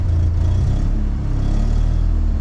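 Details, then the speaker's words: 1979 Mazda RX-7 rotary that sat over 10 years, just started on its rebuilt original carburetor: deep, uneven burbling idle that wavers and pulses while cold; owner plans to tune it later. Rough idle. "Alright, it's running. Alright, it kind of idles. It's not great at idling, but I can tune that a little bit later."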